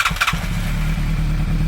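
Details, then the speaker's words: 1987 Yamaha FZR1000 first start in 16 years, after refurbished carburettors, oil and plug change, with a gravity-fed tank raised above the carbs and easy-start spray: brief cranking, then it catches and holds a steady idle. Normal start. "Woo! Yes! It's alive!"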